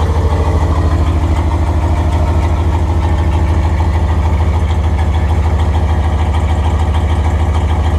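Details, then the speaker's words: 5.2L Dodge Ram turbo build, first start with exhaust only tack-welded, not fully welded: very loud steady lumpy V8 idle with raw chuffing at each firing; exhaust leaking at the unsealed tacked joints. "well it's really loud we're really tired and there is quite a bit of exhaust leaking going on cuz it's just all tacked on us"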